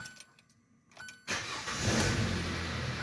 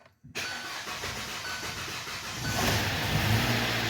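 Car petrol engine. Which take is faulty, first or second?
second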